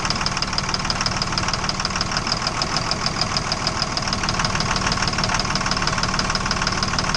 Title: Engine Knock